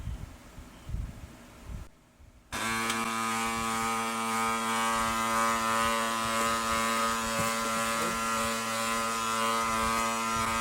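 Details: Brother DCP-L2540DW laser printer: once it starts, a steady buzzing whir with a gritty grinding edge over the drive hum, a gear noise; worn or dry gears are suspected.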